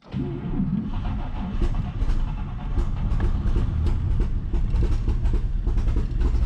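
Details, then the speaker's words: 1949 Chevy Fleetline 216 inline-six, cold start after freeing stuck lifters, replacing bent pushrods, all cylinders now with compression: stumbles unevenly at idle with a light typewriter-like clatter on top, smoothing as it warms; rough cold idle with lifter tick. "it's still a little rough at idle but once it kind of warms itself up it does smooth itself out quite a bit and everything's moving definitely sounds like a typewriter pretty common on a 216"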